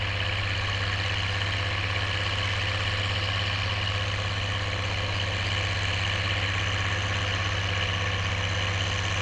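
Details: Oliver 1550 diesel tractor pulling a JD BW disk about 6–8 inches deep, running well once whatever was in the fuel system cleared: steady, even drone with a firm low beat, no misses or knocks under load.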